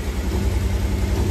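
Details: 1986 Pontiac Fiero GT sitting for several years, first start after bypassing over the top: low, slightly uneven putter at idle with irregular pulses. Owner suspects something in the ignition, not confirmed.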